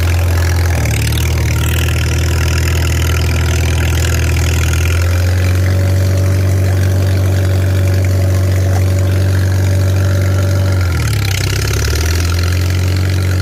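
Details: Farmall 300 Row Crop, 600-hour tractor, test drive after exhaust manifold replacement (original rusted through) and clutch adjustment, camera on chest rig; deep steady drone dipping briefly with load then recovering; running smooth and healthy, TA working.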